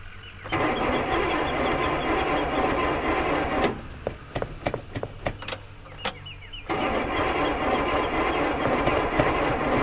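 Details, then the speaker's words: Barn-find classic car that wouldn't fire: the starter cranks evenly, pauses, cranks again, and the engine never catches; the cause turned out to be faulty ignition points, later replaced along with the spark plugs and plug wires, fluids and a carburetor rebuild. "well it turned out to be the points so went ahead and changed that spark plugs plug wires just fluids went through it all really"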